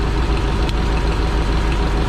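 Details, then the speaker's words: Yale GLP060VX forklift with a 2.4L PSI engine on CNG, running rough, with coil number one unplugged: loud, low, lumpy idle with no change or dip; cylinder one is dead and the engine runs on three cylinders. "see that nothing no dip no nothing when i pull that engine runs just the same"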